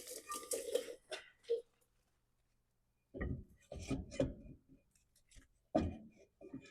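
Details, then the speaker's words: Toyota Yaris at 330,000 km, rear drum brake, drum turned by hand: irregular gritty scraping from rust flakes and dirt caught in a bent backing plate. This is the noise heard when braking; drums and shoes are somewhat worn, and the plan is to scrape the plate clean. "That's the noise that we've been hearing and we're looking for. So, as you can see, there is a bunch of rust flakes and a little bit of dirt in there as well as it is bent in some places."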